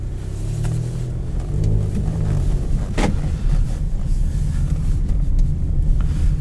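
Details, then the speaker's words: 2014 Lincoln MKX with 131,111 miles, driving under acceleration: deep engine rumble with a slight raspy edge rising with revs from a small exhaust leak, not massive. "can definitely hear that little exhaust leak it's not a massive exhaust leak it actually provides a good tone to this thing"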